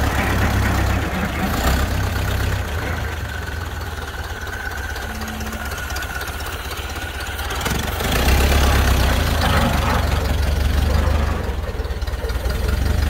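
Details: 1931 Ford Model A flathead four, 200.5 cu in, after sitting 67 years, slightly choked. Low, steady putter with an even beat and no misses or knocks. Smooth, healthy idle.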